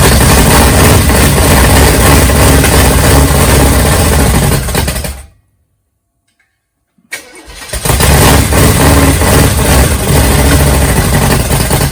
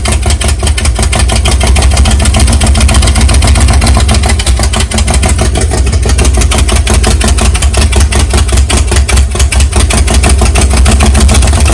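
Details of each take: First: Big-cam 454 Chevy big block on an engine stand, early start with no tuning, for a rat rod: catches into loud choppy loping idle about three beats a second from the big cam; camera mic may make it sound like rod knock. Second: Big-cam 454 big-block Chevy on an engine stand, cold first start with no tuning: a loud, lumpy fast idle with a choppy lope. The camera mic makes it sound like rod knock, but it sounds healthy in person; the carburetor has problems.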